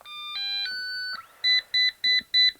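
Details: Eufy robot vacuum with its cover off, solid red light: a short rising chime, then four evenly spaced high beeps, the stuck-brush error code.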